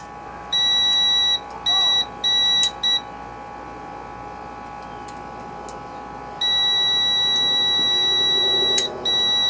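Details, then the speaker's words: Sears LT1036 lawn tractor, Tecumseh engine: continuity tester on the ignition points gives clean, high, steady beeps, several short then one long, as the points close; contact restored after cleaning debris from between the points. "Well, it should be closed now, and we should hear something."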